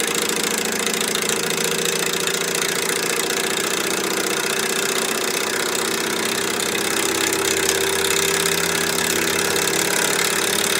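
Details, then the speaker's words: Candle-powered Stirling engine driving a 3D-printed gearbox at about 800 rpm makes a busy, steady clatter with a rapid knocking rhythm from loose bearings on the vertical rod; noise means inefficiency, linkages need work. "now all this noise i have bearings on this vertical rod that are loose um one of the things about the sterling engine was the whisper quiet this one's quite loud noise is inefficiency"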